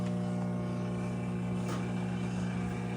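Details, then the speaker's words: Top-loading washer on normal mode with warm water, max fill: steady low hum with churning swish, no knocks or grinding; normal wash agitation. "ఇంకా ఇట్లా వీటి వరకు వస్తే wash అవుతుంది sound వస్తుంది"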